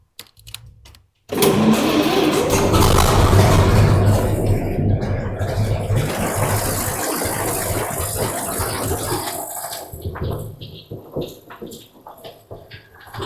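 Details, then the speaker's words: Old truck after work eliminating exhaust leaks: starter catches at once, engine settles into a smooth, quiet, even idle with no ticking or exhaust puffing; only a very tiny leak remains at a cast iron band. "Listen to that thing purr, huh? I could listen to this thing all day. Now we got rid of all those exhaust leaks."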